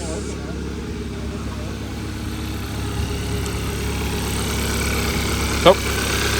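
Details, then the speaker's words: 2014 Hyundai Accent with 217,000 miles, seized engine just revived, check engine light on: steady low idle with an irregular, shaky beat and occasional misses; rough idle. "oh so we did it guys we did it it's running a little rough that's because [Music] um yeah it's running a little rough but we will get there"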